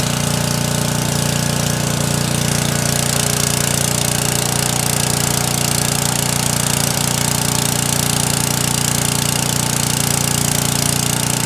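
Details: Briggs small petrol engine after carburetor needle repair for surging and stalling under load runs at a steady, even speed with a firm, regular exhaust beat and no surging.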